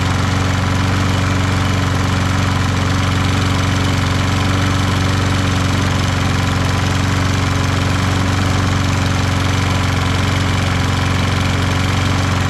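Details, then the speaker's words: Toro Recycler lawn mower with Kohler XT675 engine after valve lash adjustment, draining overfilled oil and cushioning the front bumper: steady even single-cylinder beat, no vibration rattle or buzz; running normally. "now it doesn't make that vibration noise. Let's see if we hear that sound anymore."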